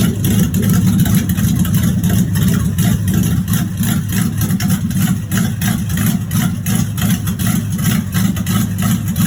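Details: 1986 Chevrolet Monte Carlo SS V8, idling about 3–4 minutes in: deep rapid regular bottom-end knock in time with engine speed, rod knock.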